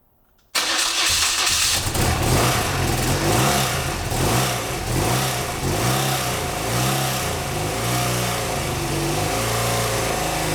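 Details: BMW R100GS Paris Dakar boxer twin on its first start after engine reassembly: catches at once but runs with a wavering beat that never settles. Rough running; owner suspects carb tuning and unsynchronized carbs. The oil pressure switch is still leaking.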